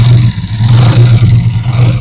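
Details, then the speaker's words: 2024-model 125cc motorcycle: heavy low drone with metallic clatter from a loose pin knocking inside the magneto rotor, visible pin marks; a local, wrongly fitted ring had been changed before; proper ring to be fitted under the magneto cover. "ये पिन जो है अंदर टकरा रही थी और इसी की आवाज़ पैदा हो रही थी।"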